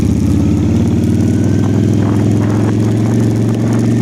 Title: Honda Shadow Whining Sound #projectbike